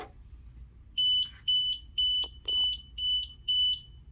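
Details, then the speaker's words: Pride Mobility scooter with Dynamic control system: six quick high beeps, about two a second, fault code for throttle not centred (held) at switch-on. "that's a six beep so if you go into your user manual you can just simply see what a six beep is come on over here right here in every private mobility user manual you go to six throttle control not at center at startup"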